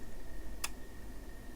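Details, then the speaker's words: Siglent SDM3065X bench multimeter in dual-measurement mode (DC volts and AC volts): crisp relay click over faint steady high tone as it switches ranges between readings, normal behaviour. "But what happens then, you can hear it hopefully. Hear that clicking? It's switching between ranges."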